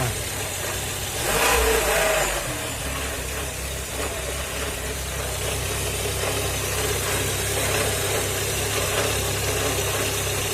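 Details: Car engine idling with a steady low hum and a faint rough, uneven pulse; the owner cannot tell the cause.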